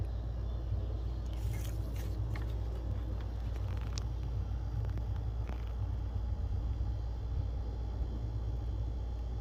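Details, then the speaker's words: 2016 Honda Accord with a hard start problem, after replacing the high pressure fuel pump, which showed low pressure on live data (should be at least 2,000 psi): starts easily and idles with a steady, even low rumble, no misses or knocks; normal idle. "Once you got that done, go ahead and crank it on. It starts up like a dream, you're good to go."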